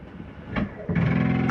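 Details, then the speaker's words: 2022 Coachmen Catalina 303RKDS travel trailer, bedroom slide-out (slide 2) retracting; a low electric motor drone, then a brief clunk and a higher whirr as it reaches its stop; this is the normal end-of-travel sound. "That little noise is okay to hear. That's just the slide mechanism telling itself not to come in any further."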